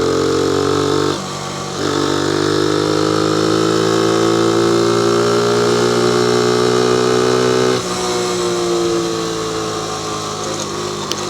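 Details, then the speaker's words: Honda PC50 moped near flat out, mic on the rider's collar: buzzy two-stroke note climbing with throttle, one brief dip, then pulling cleanly. The owner notes random split-second bogs and suspects a vacuum leak, not fuel supply. "but I mean yeah she's going nice like that was kind of flat out and it's still hard a little bit left"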